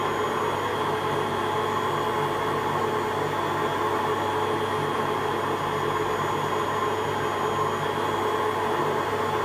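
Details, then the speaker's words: Hotpoint Aquarius Extra WMA40 washing machine on a test wash with the top off: constant loud rough whirring and droning hum, no knocks. The drum looks bent; owner suspects worn bearings. "Let's just leave it and see what kind of noise it makes. I've got the top off it as well, so if it's loud it should be even louder."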